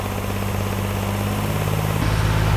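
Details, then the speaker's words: Rebuilt junkyard 4.3 V6 with Comp cam in turbo AWD S10, first run: smooth even low hum at raised idle for ring break-in, no misfire, after timing set to the correct one of two crankshaft marks and the last spark plug fitted. "all right she's running like a top once we got the right crankshaft Mark died in"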